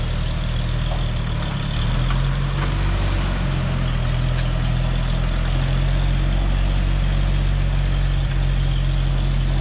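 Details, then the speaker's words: Old CCKW military truck started with choke and throttle; deep, steady low rumble with even beat, no knocks or misses, and no exhaust leak heard; normal idle. "Sounds good. I don't hear an exhaust leak anywhere."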